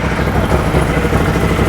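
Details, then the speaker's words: A 2012 Bennche Spire 800 UTV finally fires up and holds a steady idle with a faintly uneven, stumbling beat now and then. It sounds like a slight miss, cause not yet pinned down; the dash wrongly shows neutral and reverse. "turn the key fires up so that's a plus sounds like it might have a little bit of a miss but it starts that's that's a huge plus right there so we know it starts now I could definitely hear has a slight Miss"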